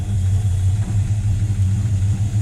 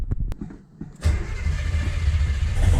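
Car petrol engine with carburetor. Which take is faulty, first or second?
second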